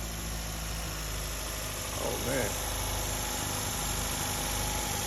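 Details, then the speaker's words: Engine started with the belt removed after a locked-up alternator pulley had stopped it turning over: settles into a smooth steady idle with a low even hum, no knocking, squeal or stumble. "See, works better when the uh when the pulley moves, right?"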